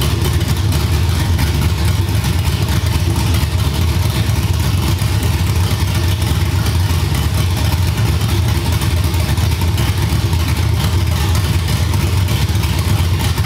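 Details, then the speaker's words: Cammed LS V8 in a G-body car, started after troubleshooting its problems. Deep loping idle that stays steady and even, with no misses, pops, backfires, flames, white smoke or heavy gas smell; the cleanest it has run. "this time I'm sure it y y'all didn't see no white smoke y'all didn't see nothing abnormal this time it wasn't popping it wasn't shooting flames it wasn't doing nothing that was the cleanest this car has ever ran"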